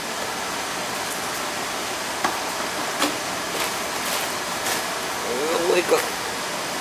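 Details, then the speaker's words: Oil boiler on an annual service, with a stack switch and no damper; its nozzle filter was clean so it was left in place. It fired up nicely: a steady even rushing roar with no pulsing, rumble or sputter, lit cleanly and firing smoothly. "I actually fired up sweet stack switch this one doesn't even have a doesn't even have a damper this one fired up nice little nozzle filter was okay"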